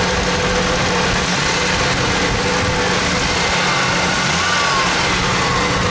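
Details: Ford Mustang engine: light, fast ticking through a rough, steady idle with plenty of hiss; owner suspects lifter tick, persisting despite thicker oil and Sea Foam; cause not confirmed.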